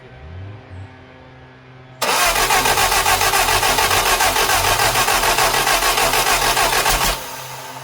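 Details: Lotus Europa Twin Cam with 123 Ignition distributor and Stromberg carbs, valve clearances previously off: starter churns steadily about five seconds at roughly three and a half turns per second, never catches; ignition timing not even close.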